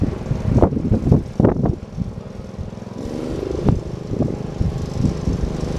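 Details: Bush Hog D4-10 Wisconsin single-cylinder engine after rebuild work with new rings, camshaft, governor gear and springs, in neutral, governor previously never worked and it smoked badly: thumps along at steady speed without surging or running away; governor holding revs properly.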